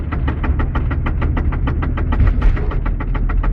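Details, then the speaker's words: VAZ 2112, three years old, 124 engine: steady, rapid knocking, about six a second, over deep drivetrain rumble in third gear, also in fourth, shaking the gear lever; quiet in neutral with the engine revving; owner unsure of the cause. "включаю третью об третья скорость коп она"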